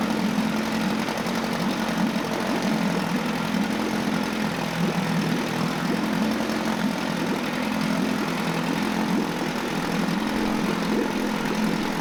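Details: Mercury 9.8 hp 110 outboard after a new water pump impeller and lower unit seals: a steady buzz at constant speed with no stumbles, rattles or surging. It is running normally.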